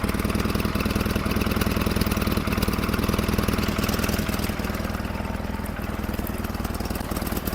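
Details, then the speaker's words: 1947 Farmall Cub warming up at idle and revved a bit, with the main fuel valve adjusted against flooding. Lumpy, stumbling idle at about three beats per second with one cylinder not pulling; misfire from a stuck valve beside the intake manifold on the right side. "You can see they're all going up and down except that one beside the intake manifold the right hand side stuck tight."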